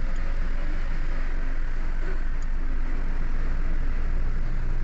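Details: Toyota Wigo idling after cylinder 2 misfire repair (injector circuit code); rescan shows no trouble codes, check engine light not showing, aircon on; quiet, steady low idle with even hum, no stumble or skip.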